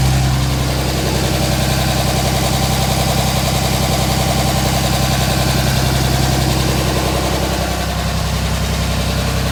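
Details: 2007 Dodge Ram 5.9 Cummins diesel, loud steady-speed idle with uneven lumpy exhaust pulse about 160 beats a minute; rough for a month. Intermittent fuel rail pressure sensor, MAP sensor and overboost codes (no boost fooler fitted); owner asks about blow-by; cause unknown.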